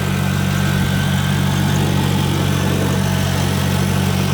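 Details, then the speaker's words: 2002 Chevrolet Corvette C5 convertible, 350 hp LS1 V8, 83,230 miles, automatic, oil pressure about 40 psi; starts right up into a deep, smooth, even idle with a steady low rumble, no knocks, ticks or leaks, healthy. "the engine in this car starts right up this car has 83,000 230 miles on it psi right at 40 this car is equipped with the 350 horsepower ls1 engine has no NOx or ticks or leaks"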